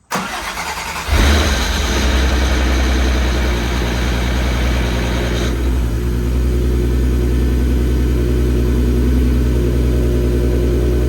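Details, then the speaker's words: VW MK6 GTI with 3.6 VR6 after rod bearing repair and fixing a loose camshaft-sensor ground that caused rough idle: brief crank, then smooth even idle with no misses or knocks; normal start and idle. "oh it's got a nice so I'm scared I'm shaking but it sounds good idling really nice"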